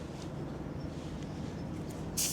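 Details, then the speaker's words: Front tyre with a thorn puncture, slightly reinflated before rope-plug repair: sharp steady hiss of air escaping through the tread near the end; the thorn hole is the leak. "you can hear that. That is definitely the problem. There it is. It always amazes me that a little thorn like that is enough to puncture a tire, but it is"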